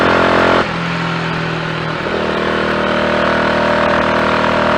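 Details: Triumph Tiger Cub single at full working temperature, flat out near 60 mph with rider and load, after new carburettor slide, needle, needle jet and main jet and plug gap cut to about 20 thou: steady even exhaust note, no misfire.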